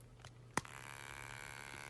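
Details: Brand-new Samsung Galaxy S20 Ultra: after a shake, a thin, steady high-pitched buzz comes from the camera area and stops when the camera app opens. Owner suspects a sensor or the design; cause unconfirmed.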